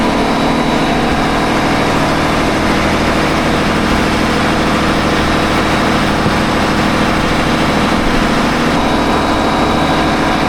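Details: Engine on 47 ft Carver motor yacht mid-Gulf at idle: metallic grinding rasp over the run; belt guard suspected rubbing a pulley, pulley hot, belts tight; sounds like metal on metal, possibly pulley bearing failure, unconfirmed.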